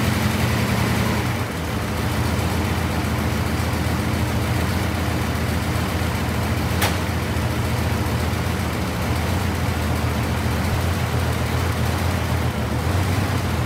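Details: Car at idle with a rough, uneven, lumpy low beat plus clattering from a rattling exhaust cutout underneath; one cylinder seems to be skipping, with a spark or fuel fault suspected and being checked at the distributor cap.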